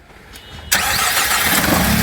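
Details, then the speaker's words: Car after fixing a dead-cylinder misfire (coil not blamed; injectors next if it persisted): sharp catch then immediate even steady idle, no stumble; clean start, running perfectly. "And there we go. Purring like a little kitten."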